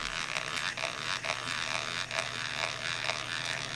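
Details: Johnson Century 115 spinning reel, reassembled with one damaged gear tooth; gritty, rasping bursts about twice a second as the handle turns, rough and uneven; worn, damaged gear teeth grinding inside the reel.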